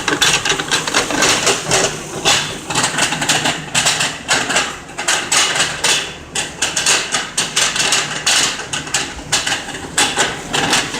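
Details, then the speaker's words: Lincoln MKZ AWD under the car: sharp, uneven clunks about twice a second from a bad driveshaft carrier bearing; customer complained of noise on acceleration, new joints checked good. "One of the carrier bearings got to be bad right here. New joints look good, I checked them. This bad boy is making noise."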